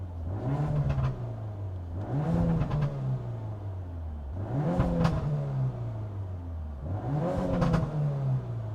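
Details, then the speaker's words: Peugeot 308 GTi fitted with new TTV Racing clutch and lightweight flywheel, just collected, free-revving blips: revs snap up and fall away fast, nearly like a bike; crisp, healthy engine revving much quicker than before. "Sounds like a whole different car, bro. It sounds like it's nearly like a bike revving fast."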